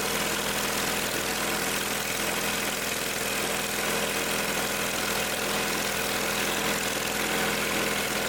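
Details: Old Simplicity tractor after tightening a leaky fitting where Teflon tape had gotten inside: steady, even idle with a constant hum and no misses, surging or knocks; running smoothly.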